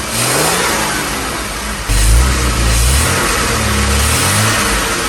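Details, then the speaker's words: 1978 Jaguar XJ6 Series 2 barn find, stored 24 years, after the loud engine rattle was diagnosed and repaired: engine warmed up, then clean throttle blips, revs rising and falling smoothly with no rattle or miss; normal revving. "so give it a little C around more noise get it warmed up and then we'll give it a little bit of a tickle and you'll get it here that's fantastic brilliant"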